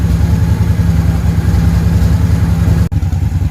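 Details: Honda VT750 V-twin after stator replacement, charging system now working but carbs still uncleaned and running on two cylinders: deep, loping burble at idle holding steady with no clatter or dropouts; normal idle.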